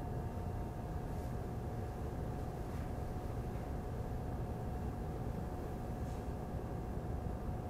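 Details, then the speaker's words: Razer Core X Thunderbolt 3 eGPU enclosure with an RX 5700 XT at idle, mic at a fixed distance for the before/after fan test: a steady airy whoosh with a faint fixed whine. The enclosure fan is audibly loud even at idle. "okay so I think the improvement is very noticeable the most evident improvement is at idle condition when they are not using the GPU"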